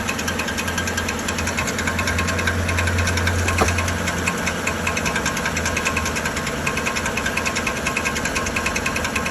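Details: 2013 Chevrolet Silverado 1500 5.3L V8 with the check engine light on, at steady idle with a light metallic knock about two or three a second, resembling a flexplate problem. The cause is the starter drive gear not retracting.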